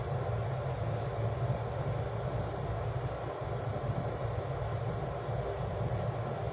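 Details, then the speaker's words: Kettle after repair, previously not turning on, with only a fuse problem: steady low rumble and soft hiss, no clicks or cut-outs; heating water normally. "Okay. So it's now working."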